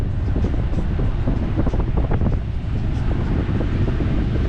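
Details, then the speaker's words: 2009–14 Ford F-150 heater/AC blower motor after the repair that cured a horrible noise, on AC at full fan speed: steady, even rush of air with no rattle, whine or squeal. Very quiet compared to before. "other than that I would say this is very quiet compared to before"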